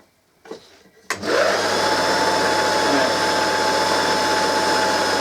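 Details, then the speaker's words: Vintage Hoover 160 vacuum motor run on the bench: spins up to a steady but low, sluggish hum with a rough crackle, visible arcing at the bottom, far too slow; faulty armature. "it's going it's going but it's not fast enough it's far too slow it's not running properly and you can actually see arcing right down in the motor there on the bottom"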